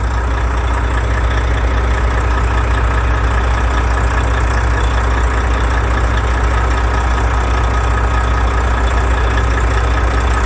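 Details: Volvo FH truck with the 13-litre diesel idling with a deep, steady, even rumble, heard after repair of a knock and grinding in the engine from under the valve cover, with the shaft reseated.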